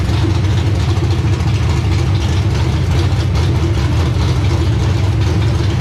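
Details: Race car engine first started after install, freshly topped-up radiator: strong, deep, steady idle with an even lumpy beat and no knocks or ticks; sounds good, normal idle.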